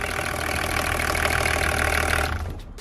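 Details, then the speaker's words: BMW diesel idling after finally starting when it had previously stalled and would not restart. Steady, even low beat with no knocks or misses: normal idle. "честно сказать мне так нравится этот звук может быть тебе нравится того что она просто завелась"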